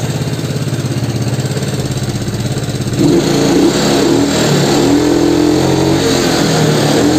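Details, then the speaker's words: Yamaha Mio scooter, air filter removed: revs still swing unevenly from low through mid to high RPM, too much air into the carburettor making a lean, mismatched fuel-air mix; hunting surge instead of holding steady. "nah disini masih agak sedikit mengayun ya dari RPM bahwa sampai RPM Tengah dan juga ke atas berhubung disini itu filternya enggak ada ya teman-teman ya jadi angin yang masuk ke karbu itu terlalu banyak"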